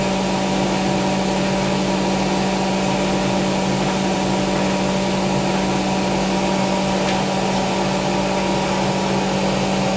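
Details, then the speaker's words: Hotpoint BIWDHG75148UKN integrated washer dryer with induction motor spinning at an estimated 1400 rpm: a smooth, steady high-pitched whir with an even hum and no knocking or grinding. Normal high-speed spin. "It sounds good. two, right? Interesting. I think that's like 1400 now."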